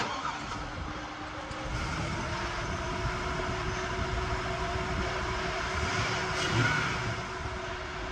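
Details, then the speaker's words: 2003–06 GMT-800 truck, 6.0 LS V8 with 240,000 miles, just fitted with new spark plugs (old ones never changed): steady, even idle with no stumble or skips, running on all eight cylinders. "the good news is it sounds like it's running on all eight cylinders"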